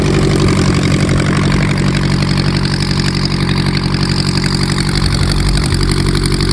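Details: VW Type 1 engine on its first run after new valve adjustment screws: steady, even idle with a regular low beat, no ticking or knocking; running cleanly.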